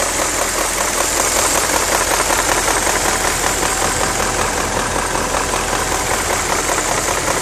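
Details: BMW E39 M5 at idle: a sharp, fairly regular ticking knock, about two or three per second, over the idle. Source not pinned down; owner suspects VANOS.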